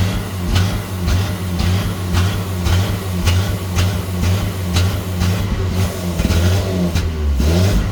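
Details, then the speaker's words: 1986 Nissan pickup, non-original engine, after fuel pump work, revved: lumpy uneven running with a sharp click about once a second; owner suspects overfueling because no fuel pressure regulator is fitted; cause unconfirmed. "But if I don't have a fuel regulator, I might be overfueling it. I don't know what they're supposed to run at."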